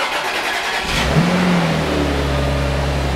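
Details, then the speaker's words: Car on a cold start after coolant change to G40: engine catches and revs with a loud, raspy, unmuffled exhaust note, settling into a rough idle; exhaust badly needs repair, a slight squeak fades once warm. "Yeah, we need some exhaust bad for this car."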